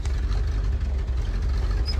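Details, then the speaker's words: 1972 Chevy 4x4 Holmes wrecker, revived after 10+ years sitting, idling at a shop early in the long drive back; deep slightly uneven lumpy idle, cam-like lope but they think it's a miss, rough idle. "missing that cam. Listen that cam shot. I think it's I think it's a miss."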